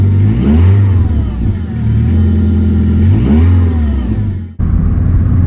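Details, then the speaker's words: Audi A2 1.4 project with long MOT advisory list, on test drive: deep, boomy drone rising and falling as the engine revs through the gears; exhaust louder and rougher than it should be, though engine itself is quite sweet. Noisy exhaust. "The exhaust is also noisy as well. I don't know if you can hear that."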